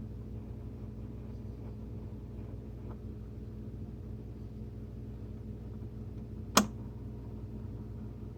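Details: Whirlpool WSF26C3EXF01 refrigerator: a low steady hum with a sharp pop from the top of the fridge about every 12 seconds, day and night, whether the compressor is on or off. Cured by replacing the faulty air damper control diffuser.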